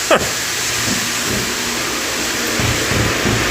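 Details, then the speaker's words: Dairy pipeline milker wash with too much detergent: steady airy hiss over a wavering hum, pump pitch sagging and recovering, belt squeal possible; vacuum pump seemingly labouring under foam load. "She's kind of slugging in the pumps. If you hear the belt squealing, that's what it is, so."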